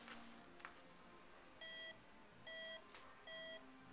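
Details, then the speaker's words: FlightComputer V1.0 variometer indoors: three clear high-pitched beeps about 0.8 s apart, the climb tone; beep rises in pitch with faster climb rate and goes silent on descent, normal operation. "as it goes up, and then it should go silent as it goes down. The beep is set to get higher pitched as the variance increases. So as you go up faster, it gives a higher pitched beep."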